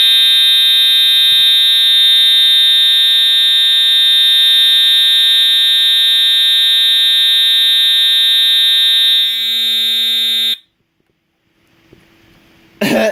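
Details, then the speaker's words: EST/Edwards Integrity 757-7A-T horn strobe on continuous tone, low volume, horn and strobe together: loud, steady high-pitched horn holds one tone without pulsing for ten seconds, then cuts off cleanly; sounding correctly. "really loud thank God I do the hearing protection on my ears now man I think I'm half death right now"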